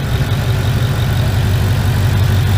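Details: Ford Ranger with a Coyote V8 at idle, with a vent plugged by a rag to stop a suspected vacuum leak: a steady, even idle with a deep low rumble and no squeal or whistle. Unplugged, it squeals high-pitched; the cause is still unknown.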